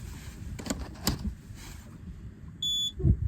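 Quiet engine bay, then one short, shrill beep lasting about a third of a second as the alarm powers up, a normal self-check.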